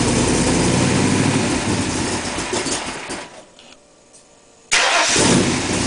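Starter cranks, engine fires cleanly and runs evenly with no stumble or misfire; a healthy start and idle.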